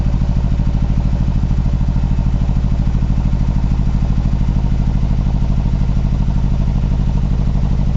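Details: Mazdaspeed3 / MPS cold start: deep lumpy cold idle, uneven throb about three per second with loose clatter, looks like misfire, unconfirmed; rough idle.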